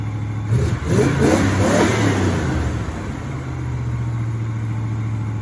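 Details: 1984 Chevrolet El Camino, first start in almost 4 years: a few rough revs, then a steady, too-fast idle hum; high idle.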